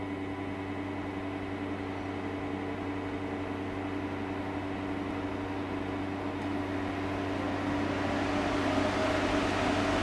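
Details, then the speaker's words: Wahoo Kickr Headwind fan at low settings (6–15%): steady low hum with faint whirring tone rising slightly as fan speeds up; strange noise thought faulty, but Wahoo support says it is normal. "the headwind moves a lot of air even in the lower settings most of the time i am in a range between 6 and 15 percent but at that range you can hear this strange noise"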